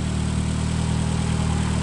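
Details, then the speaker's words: Engine idling after rod knock repair with all new rod bearings: steady, even low idle with a smooth drone and no knocking or ticking from the bottom end. Other noise is from a hole in the exhaust. "And that's what it is right there, man. No rod knock at all. Don't worry about that noise. There's a hole in the exhaust."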